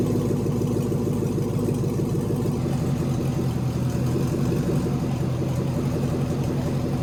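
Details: LS V8 swapped into a BMW E46, first start in chassis with newly built cooling system, warming up while coolant temp is monitored via OBD2 (reaching about 178 before fan switched on): steady even idle, smooth low burble dropping slightly as it settles; normal.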